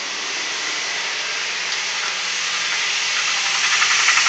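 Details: 2004 Toyota Tacoma Prerunner 2.7 L 3RZ, about 150k miles, oil full: a hissy rattle about four times a second at cold-start idle. It fades when warm, lasts longer on colder mornings and began last year; cause unknown.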